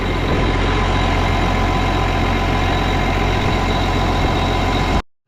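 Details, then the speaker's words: Case 305 tractor diesel after replacing the exhaust manifold gaskets: smooth, steady low idle rumble, noticeably quieter, with no more ticking or puffing at the manifold; exhaust leak fixed, runs pretty good. "But, that definitely quieted it down, so yeah, no more sitting there ticking at you."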